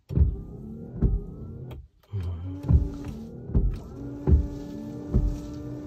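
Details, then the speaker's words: Honda City after wiper motor replacement, wipers fitted: steady motor hum with soft, even thumps as the arms reverse, sounding almost the same as before, a normal, quiet, smooth wiper motor. "Halos parehas lang din naman siya guys ang tunog. Wala namang halos pinagkaiba sa tunog niya."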